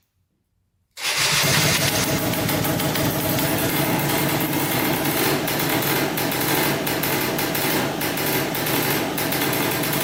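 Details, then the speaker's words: 2003 Polaris Sportsman 90cc ATV after new top end and oil pump, premix 40:1 for break-in: catches at once and settles into a steady, buzzy two-stroke idle with no misses or knocks; normal idle. "she runs that's good we have to make sure now the pump is working and uh we should be good to go yeah started right up"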